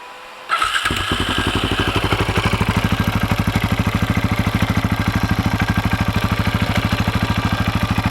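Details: 2004 KTM 640 LC4 single, 38,000 km, started after 10 days unused: sharp even tac-tac ticking about three per second over the idle thump, on the engine's left side; stops when in gear with clutch held; cause unknown, owner wonders about crankshaft or clutch bell.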